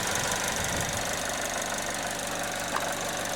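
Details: 2009 Chevrolet HHR, sat unrun about 7-8 years, warm idle with air conditioning on; loose irregular knocking about twice a second over rough idle; knock source unknown, owner notes wiring issues from rats.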